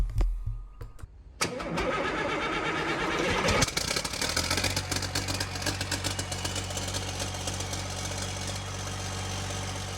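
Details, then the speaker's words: Freshly rebuilt Caterpillar C11 diesel, exhaust muffler left off: a few cranks, then it catches on the third attempt and settles into a steady, even idle with 70 psi oil pressure; normal start. "The engine started on the 3rd attempt. We've got good oil pressure there, 70 psi."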